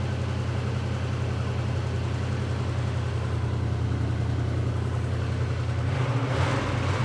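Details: Engine that had long suffered backfiring, started on Christmas Eve: low, steady idle with an even beat and no pops, misses or backfires; running smoothly.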